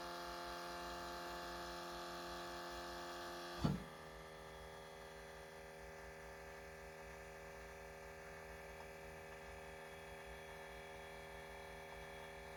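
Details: Canadian 2019 Hyundai Ioniq PHEV, parked, off and unlocked at least 4 hours in garage; short clunk then faint steady constant-tone whir from under the car, source unclear, possibly a pump.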